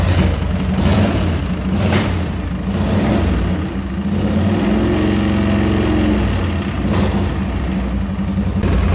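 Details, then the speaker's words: Chicco Jerikho's twin-cylinder motorcycle, just started after its electrical rebuild: a lumpy idle surging and sagging on rev blips, one beat of each pair weak, and teardown found a faulty module as the cause. "Harusnya kan dua tuh, taktuk, ternyata dia cuma satu gitu. Cuman yang kedua tuh agak-agak lemah gitu. Ya udah, akhirnya kita cek, kita bongkar, ternyata modul nih."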